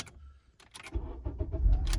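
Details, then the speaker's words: 2003 Honda Accord: keys rattle and click with a buzzing sound, then the engine catches about a second later and settles into a low rumble; intermittent no-start from a poor connection in the faulty ignition switch, not the starter. "because the connection of the switch is not good you hear the buzzing sound are you doing quickly it will be okay sometimes you will have problems"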